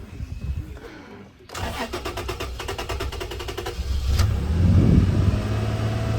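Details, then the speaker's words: Toyota Tacoma 4.0L after both oil control valves checked and replaced: cranks, catches and runs smoothly briefly, then stumbles with an odd noise and stalls; no codes. Stretched or slipped cam chain suspected, not confirmed. "Smoothly. And then that noise and dying. I don't know what that is. It sounds like a cam might have slipped, or the chain might have slipped"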